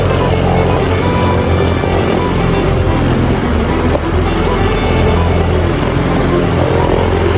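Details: Yard Machines MTD mower with a Briggs & Stratton 158cc 5HP 500 Series engine, after a carburetor diaphragm and gasket kit, new air filter and fresh fuel (it previously started then died): steady, even putter with no misses or surging, slight oil smoke; running smoothly.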